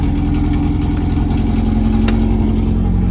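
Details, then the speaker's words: JDM B18C-swapped Honda Civic EK coupe, first start: four-cylinder idle uneven, wandering and lumpy after briefly improving; O2 sensor unplugged, owner suspects sensors plugged in wrong, not confirmed. "I guess we spoke too soon. It's back to idling like shit. I need to plug up that O2 sensor in there. You can hear it. It's idling rough as fuck."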